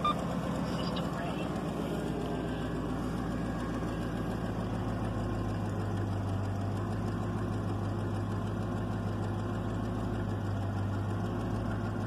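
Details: 1996 Chevrolet Caprice after installing a passkey bypass module wired to the PCM fuel enable wire, with no key fault now; starts and settles into a steady, even low hum with no stumble or surging; normal idle.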